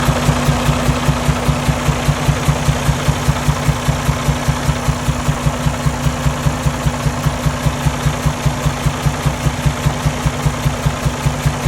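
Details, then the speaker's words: 2019 Freightliner Cascadia DD15 diesel idling with a regular low pop about 2.5 times a second out of the intake/air filter; computer showed no compression on cylinders 4, 5, 6; valve adjustment checked first. "we had a little popping noise too in the intake we're checking out the valve adjustment first"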